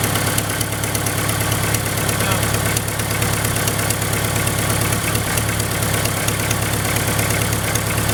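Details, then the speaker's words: 1999 Dodge Neon coupe, first start two weeks after replacing heater lines and deleting the EGR: sharp puffing tick about three per second in time with idle. Exhaust leak blowing out the back of the manifold joint. "Exhaust leak right there. At least I found it right away. It's blowing out the back of it, which is really, really weird."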